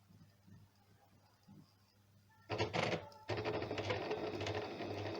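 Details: Janome sewing machine after being serviced for a running noise: after a quiet start it runs up to a steady, fast stitching chatter with an even rhythm and no knocking or grinding. It now runs normally.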